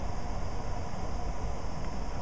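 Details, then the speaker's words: Variable-speed HVAC blower motor with Trane circuit board, tested with VZ-7: steady low airy rush, no knocks, rubbing or squeal, ramping from about 500 rpm / 900 CFM to 700-800 rpm / 1400 CFM on high cooling; healthy. "you should hear this motor start to ramp up as you can hear it it's starting to speed up and is doing 700 rpm and it says fourteen hundred CFM"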